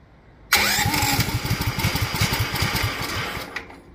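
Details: Duromax 18hp single-cylinder engine with upgraded intake, started with the air filter removed; catches with a sharp burst, chugs unevenly about three seconds then dies, won't hold idle; cause unconfirmed.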